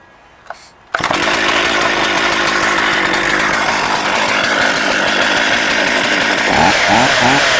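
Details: Stihl MS440 chainsaw with 24-inch reconditioned bar and brand new chain: fires instantly, holds a strong, steady high-pitched run with clean throttle blips near the end; starts easy, runs healthy.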